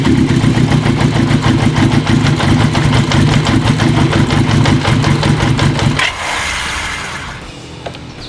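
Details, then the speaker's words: 1980 Kawasaki KZ750 at idle, after trying to soften the carb boots with wintergreen: a lumpy, uneven four-cylinder lope, then it cuts out. A vacuum leak between the carb boot and the manifold makes it run rough; new boots are needed. "we're still having some leakage between the car boot and the manifold"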